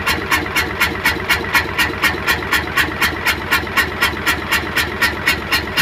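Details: Hino Euro truck six-cylinder diesel with misfire, smoke and backfiring; idling after test covers fitted, sharp rhythmic chuffing about four per second like a valve-seat leak, persisting after silencer check.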